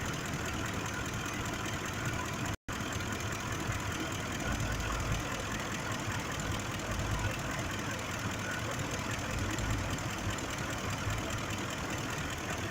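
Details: 2005 Ford F-150 5.4 V8 with a stumbling idle and uneven low thumps; misfire on cylinder 2 from a faulty injector, with no code stored for it and bank 1 fuel trim at +23%.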